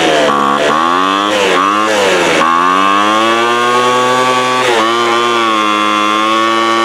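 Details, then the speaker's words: 2007 Sears Craftsman 25cc two-stroke blower, rusty thrift-store find that sat outside, just fired up: catches and stumbles, pitch dipping and climbing before settling; uneven running, owner suspects air-fuel mixture needs setting, not confirmed. "Shoot, man. That's finer than a frog hair spit 3 ways. I think we'll have to play with the air fuel mixture maybe."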